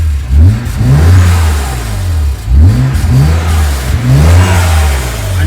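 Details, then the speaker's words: BMW E91 335i wagon N54 petrol engine, cold start not yet warm, after misfire diagnosis/repair: several revs climb and fall cleanly, no stumble or misfire, no codes, check engine light off. "can hear the misfire is not there"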